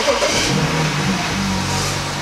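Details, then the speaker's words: 2008 BMW 335i (N54) starting after new spark plugs and cleaned ignition coils: catches cleanly and settles into a steady, even idle with no stumble or bogging, sounding healthier than before. "that sounded really healthy compared to how it wise I'm not getting any bogging anything like that"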